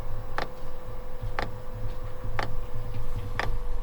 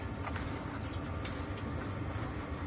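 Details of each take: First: Newly installed Webasto diesel heater in freezing Québec winter, priming before it starts; sharp, even clicks about once a second over a faint steady hum as the dosing pump ticks and pulls diesel through the line. Fuel pump ticking while priming. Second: Webasto diesel heater newly installed: steady low rumble with an even roar and no knocks or surges after it calms into its reduced idle mode; its fuel pump is quieter than in the caravan; normal running in low mode.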